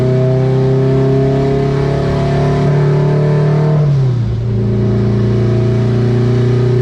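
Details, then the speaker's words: Turbo Acura RSX on the dyno running E98 fuel at 91% duty cycle: steady loaded engine drone climbs, then stumbles to a lower note as boost spikes to 19 psi and falls back down. The boost problem was being chased; the turbo later blew. "I just had a spike of 19 pounds and then it fell all the way back down to what?"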